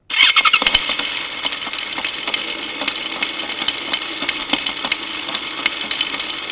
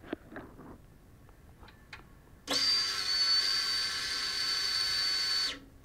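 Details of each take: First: Motorcycle drive chain heard through a homemade electronic stethoscope microphone, wheel spinning before lubing: dry, gritty rattle with sharp irregular snaps over steady hiss. Owner suspects wrong chain tension, dirt causing grabbing and jumping, or a worn front sprocket. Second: Motorcycle key inserted in ignition with a homemade electronic stethoscope microphone: light clicks as the tumbler pins move, then a steady high fuel-pump whine for about three seconds as it primes normally before the bike starts.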